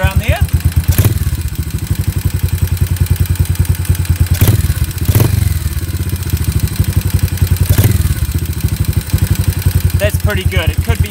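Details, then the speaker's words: Warmed-up Yamaha SR250 single, Jadus air/fuel screw set about 3.5 turns out and idle speed readjusted; pilot jet roughly correct. Even thump at about nine beats a second, steady with no hunting or stumbling; normal idle. "pretty good so just a quick recap I've set this if you'll screw now so that either way that I screw it I can adjust the idle of the engine which means that my pilot jet is roughly the correct size"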